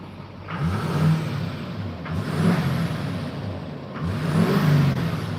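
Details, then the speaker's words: Duramax diesel being tuned on a base map: three rev blips, each rise slow and soft before falling back; throttle response laggy, with a little blue smoke. "It's a little laggy, a little smoky. There's a little blue smoke out of it."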